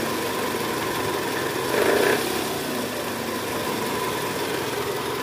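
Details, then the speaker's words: 2010 Toyota Camry 2AZ-FE at cold start, in neutral, heard from side near oil pan: coarse gravelly rattle low in block swelling briefly over idle, fades when warm; worn loose balancer shaft, confirmed by stethoscope and removal. "Oke jadi bunyinya bunyi kasar di area bawah ya Bunyi gerak gitu nah ini mesinnya udah mulai panas jadi bunyinya sedikit berkurang"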